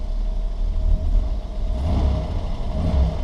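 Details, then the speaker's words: 1978 Ford Mustang II, original 2.8L V6 with 91,203 miles, very cold: a low steady idle with about 45–50 psi oil pressure, then a crisp quick rev that drops cleanly back, with no knocks or misses. It is idling and revving normally. "No problems with quick rev. We've got an aftermarket oil pressure gauge in here. She's idling at about 45, 50 psi at the moment."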